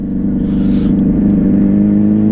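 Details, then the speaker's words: 2009 Yamaha Fazer 600 with WR exhaust tip, after a trip, idling high when warm: a steady loud drone and rising hum with revs; the rider feels it roars strangely and suspects the recently changed air filter may be poorly seated. "sabe o negócio que eu tô sentindo que essa moto tá tá berrando estranho não sei se tá estranho"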